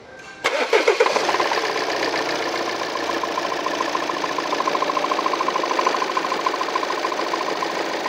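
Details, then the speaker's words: 2018 Volvo XC90 diesel, 137,292 km, timing cover off with metal filings and mounts removed: starts and idles with irregular clatter about three times a second while engine runs smoothly. "야이 딸그락 코로인 소리는 어디서 나는 거냐 메탈벨이 나왔고 타격음이 난다면 엔진의 런도 조금 이상해야 되는데 엔진 로어는 또 너무 멀쩡해 보이고"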